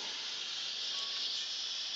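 A constant, high, airy hiss with no rhythm and almost no low end: pressurised water spraying from a pinhole in the pipe.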